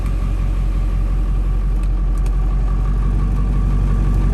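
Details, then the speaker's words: Ford Bronco with 7.3 Powerstroke diesel, newly fitted Jones turbine muffler, heard from inside cab with window closed: deep, even diesel idle rumble, steady beat, no knocks or misses; loud but normal idle. "you're gonna hear it i mean it's a big engine it's a loud engine but a lot of the noises come from right up here it's not really that bad"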